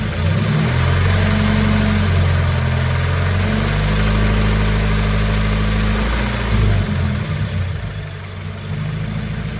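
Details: 2016 Scion FR-S petrol engine idling with a light, fairly regular ticking, roughly four a second, over the low hum; owner asks about possible issues.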